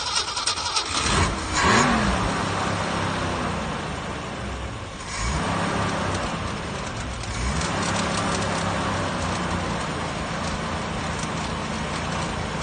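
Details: 1966 Mustang starting after 12 years of not starting, following more repair work; cranks, catches, then runs at a steady low even speed without stumbles or knocks.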